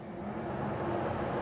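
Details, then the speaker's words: 1958 Plymouth Suburban 2-door wagon, last on the road in 1972: two-speed heater blower motor runs with a steady, even whirring hum and no ticking, scraping or wobble; both speeds work normally. "It's a two-speed blower motor. They both work."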